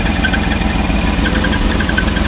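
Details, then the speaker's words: 1989 Range Rover Vogue SE with seized alternator: engine running with a steady high-pitched chirping squeal over the idle as the shredded belt slips on the alternator pulley, getting too hot to touch; low voltage, EFI warning light on. "Um and also we got the EFI warning light on and that belt is just absolutely because the belt is slipping. So in the the time I was running the engine now that belt has become too hot to touch."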